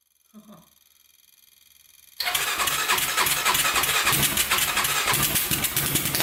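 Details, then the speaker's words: 1999 Honda 400EX quad with a newly fitted turbocharger, fuel pump added and carburetor lines hooked up: catches after a pause and revs crisply and evenly, pulling cleanly and seemingly making boost; normal revving, one intake hole still to patch. "sounds like it's making some boost running a lot better so i'm looking for any holes"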